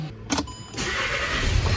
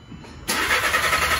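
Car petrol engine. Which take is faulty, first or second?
first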